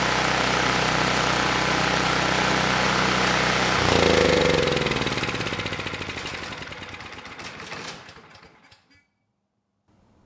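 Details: Campbell Hausfeld 5000W generator (GN503100AC), 9 hp Briggs Vanguard engine, no load, after the oversized clone pilot jet was replaced with the OEM pilot jet (clone main jet kept): even, steady fast-idle drone with no stumbles, then shut off and spins down; running smooth.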